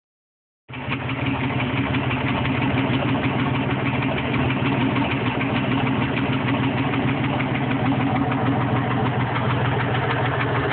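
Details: Steady idle with a regular light tapping, roughly three per second, over the engine note; engine knock at idle, cause unknown: possibly rod knock, stuck valve or exhaust leak.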